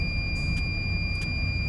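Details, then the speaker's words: Mercedes-Benz OH 1526 bus, diesel running to build air: steady high-pitched low-air warning buzzer over engine rumble, sounding because air pressure is below 6 bar; cleared by revving to fill the tanks until they purge. "Jadi untuk alarm ini dia hidup di bawah tekanan 6 bar. Untuk angin kurang ini pasti dia ada tanda seru, tanda stop."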